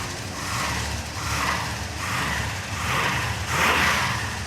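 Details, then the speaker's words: Restored 1953 Packard with about 150 km on it, started up after running adjustments before a road test. Even engine note rising and falling gently with throttle, no misses, knocks or stumbles. Thought to be running about 100% better. "yeah sounded pretty good when he started it up I think it's 100% better"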